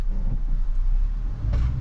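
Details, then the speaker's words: 2002 Toyota Tundra after replacing the front differential (ADD) actuator that kept it stuck in 4x4 with 4High flashing: over a steady engine rumble, one crisp click as it drops into two-wheel drive; actuator working normally. "bam another click okay we're in two-wheel drive hear that clunk that's how you know it's locking"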